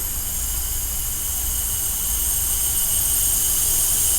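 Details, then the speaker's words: Dodge Ram Mega Cab diesel losing boost and power, charge air system pressurized to about 10 psi with the engine off: a steady high-pitched hiss grows louder. Boost leak at a worn boost boot. "i think we found the problem oh i'll beat my work [Music] i'll eat my words on that one a little bit because i did not expect it to be a boost league"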